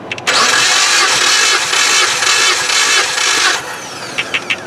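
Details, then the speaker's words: 2016 Jeep Patriot 2.0L with excessive blow-by, compression test on cylinder 2, previously the problem cylinder: even strong cranking about three seconds, then light ticks; reads just below 190, same as cylinder 1; gauge about 10 psi high; normal cranking compression. "Dead on. Dead on what number 1 is, just a little bit below 190."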